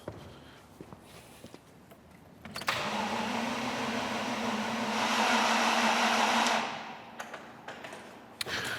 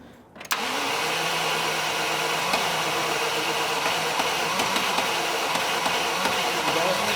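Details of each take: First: 1986 Range Rover cranks about four seconds with the fuel-pressure-sensor hose cracked off, but does not start. No fuel comes out and no pump hum is heard. The fuse looked fine visually; voltage not yet checked, so the cause is unconfirmed. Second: 1986 Range Rover after the fuel pump was confirmed delivering fuel and the pressure-sensor hose reconnected. A brief crank, then it catches at once and settles into a steady, even run with no stumbling; a clean start.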